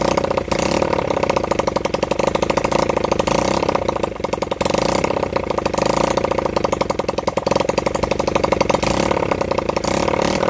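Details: Honda CB100N motorcycle after over 20 years off the road, jump-started from a weak battery; rapid, slightly uneven firing with a rattly top end, not settling. Rough running; the owner says the carburettor was in a bad state.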